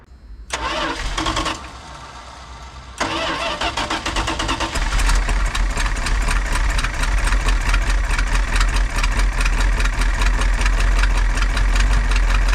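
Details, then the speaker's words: 1985 Dodge Ram W150 with 360ci V8, long sitting project, cranks and catches after a couple of tries after new fuel filter hoses, then settles into a steady, even idle with no misses or knocks; healthy start. "[Music] heck yeah that sound pretty [Applause] good actually that looks pretty good so far"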